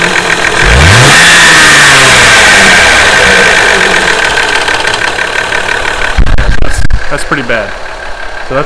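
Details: Warm 2JZ-GE VVT-i petrol engine, worse after a five-mile hard drive, revs then runs with fast steady top-end ticking; owner first suspected the VVT-i cam gear, but it turned out to need a valve adjustment: excessive valve clearance.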